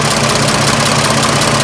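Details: 1926 Oakland engine, back running after 75 years, idling during water pump shaft lubrication check: steady even idle, smooth low pulse with fan whoosh on top, no knocks or ticks; healthy.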